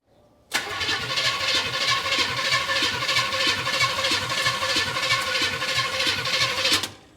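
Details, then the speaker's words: First start in 40 years of a 1960 El Camino V8 on open headers, with a new underhood wiring harness and a bypassed bad neutral safety switch. It fires immediately into an even, steady idle; loud headers may distort the mic. "I'm standing over here a little bit so you can hear me this is just open headers so it's pretty loud and it might be messing with the mic a little bit"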